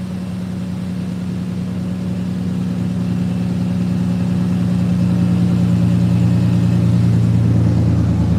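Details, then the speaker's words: 4.3 V6 truck running with exhaust removed: deep, raw, unmuffled steady drone growing slightly louder; with exhaust on it ran quiet as a sewing machine; alternator belt noted too loose. "I mean, when this thing run with exhaust on it, you couldn't even hear it run. I mean, it sounded like a sewing machine."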